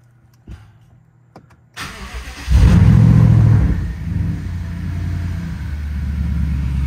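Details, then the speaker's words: BMW 750Li after a no-start fix and a few minutes of running with the oil warm: the engine blips up to a strong, smooth rev, then settles into a steady, even idle; a healthy warm engine. "sounds like a healthy engine to me"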